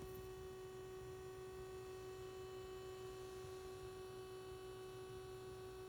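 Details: Uniden SDS200 scanner at menu screen: steady low-pitched electrical hum with fixed tone and faint higher overtones, constant throughout; the scanner itself is humming.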